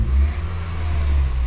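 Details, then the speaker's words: Toyota Scion daily driver with a recurring misfire, oil consumption and low compression in cylinders 3 and 4. After the compression test and reassembly it was slow to start and missed badly at first, then settled into a deep, even, normal idle with no missing. "That was weird. That took a minute. Sounds like the idle's pretty normal right now. It's not missing or anything."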